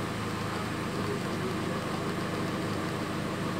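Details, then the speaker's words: Chevrolet Cruze on gasoline after valve cover replacement and reprogramming: steady, even idle hum with no stumbles; engine idles smoothly without misfiring. "ok ele pega liso sem falhar sem nada"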